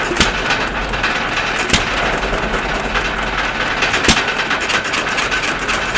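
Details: 1.5 HP Stover CT1 hit-and-miss engine after magneto and timing adjustments: sharp single firing bangs a couple of seconds apart with light clatter while coasting, mostly misses; running as it should.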